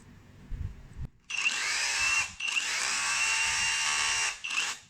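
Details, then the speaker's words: Dongcheng cordless hammer drill after repairing motor rubbing (rotor scraping stator from a seized, wobbling bearing), tested in hammer-only mode: a steady, clean, high-pitched motor whir with no grinding or rattle; the earlier rubbing sound is gone. "现在听这个声音呢，也没有刚开始的那种声音了，那种滑膛的声音了，声音非常清爽。"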